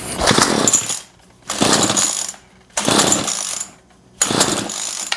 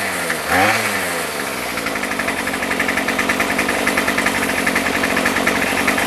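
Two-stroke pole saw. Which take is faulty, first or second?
first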